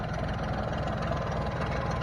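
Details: 1989 Jeep with 4.2 engine, sat three years, run after fuel finally reached it despite a leaking fuel line and with no coolant yet: a steady, even low idle with a firm regular pulse and no knocks or misses. It holds idle on its own; normal idle.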